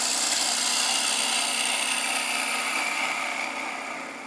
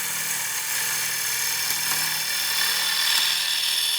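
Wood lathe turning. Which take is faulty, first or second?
first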